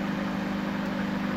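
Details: Panasonic microwave that switched on but did not heat, after a new magnetron was fitted, heating a glass of cold water for one minute: steady, even low hum with no crackle, buzz or pitch change; now working normally.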